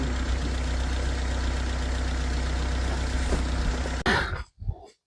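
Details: Cheap Honda Civic just after fitting spark plugs, gaps checked, with the plug wires back on: smooth, even idle with a steady low pulse and no stumble or misfire before shutting off; runs healthy.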